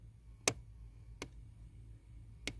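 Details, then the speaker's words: Hyundai Tucson, four-cylinder (likely 2.4), HVAC stuck on defrost. Three sharp, isolated clicks over a quiet cabin hum as the mode door actuator under the steering column tries to move toward floor mode and binds. "this little guy right there is the mode or and it's just clicking it's on defrost right now and that to open up the door"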